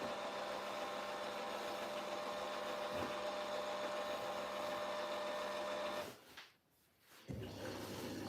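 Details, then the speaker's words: Washing machine with jet, on Cottons 60 with iDos 1 and 2 on, detergent dosing at the start of the wash with no water prefill: quiet steady whirring pulse about four per second, normal dosing pump operation. "There goes the detergent. One thing I'm noticing straight away as well, because this has got the jet, it doesn't do the prefill with water obviously because your this gets pumped around."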